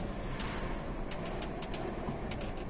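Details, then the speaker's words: Mazda 6 2.0 diesel with a failing gearbox that makes loud noises in 1st, 2nd and 5th but is fine in 3rd and 6th. In neutral, only a steady low hum with no whine, rattle or grinding: normal gearbox noise in neutral. "na luzie jest OK"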